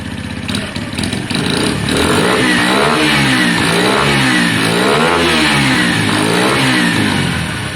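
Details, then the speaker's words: Lexmoto Valiant, restarted after stalling on low battery; even idle, revs rising and falling cleanly several times, no misfire, knock or rattle: normal idle and revving. "That seems absolutely fine to me. I'm going to leave it on for 2 or 3 more minutes."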